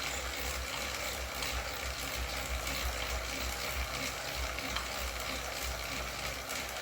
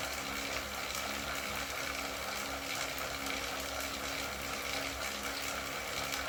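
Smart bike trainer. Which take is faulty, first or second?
first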